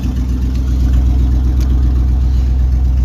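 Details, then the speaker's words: 1999 Chevy K1500 Suburban, 5.7 350 Vortec with new rod bearings, almost warm, about 30 psi oil pressure, catalytic converter stolen: deep, loud, boomy open-pipe V8 idle rumble with slight banging; exhaust loud from missing cat. "She's running. Somebody stole a cat, so this thing's pretty loud."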